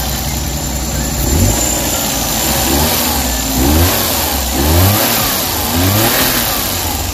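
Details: Suzuki DA64/DA63/DA17 petrol engine that vibrated with the AC on, after repairing a burnt, overheating wire; idles evenly with AC on and cooling, four quick throttle blips rising and settling cleanly.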